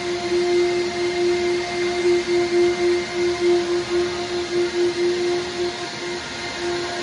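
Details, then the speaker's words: CNC machine vacuum hold-down running before surfacing a workbench top: steady mid-pitched hum with slight pulsing, suction pulling the workpiece down onto the MDF surface; running normally. "noise we hear right now is basically just the suction to suck it, everything down to the surface, keep it from moving around."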